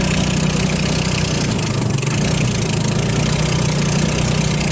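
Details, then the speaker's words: 150cc GY6 Hammerhead off-road go-kart on cold start; uneven idle sagging and recovering about every second, hunting toward stalling; lean surging from fuel starvation, contaminated carburetor. "I can't quite then quite get enough gas to keep it going so that's the issue with it"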